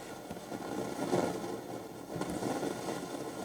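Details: 1969 Telefunken Gavotte 201 tabletop transistor radio on the AM bands with internal ferrite rods at midday: uneven crackling hiss with faint pops and no station on any band; antenna break suspected, cause unconfirmed.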